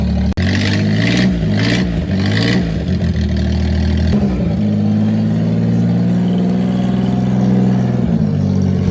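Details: Daihatsu Hijet three-cylinder pickup, started with a fresh battery after sitting 5-7 years in a barn. A few uneven revs settle into a steady, even three-cylinder putter with no knocks or misses. Running fine; normal idle.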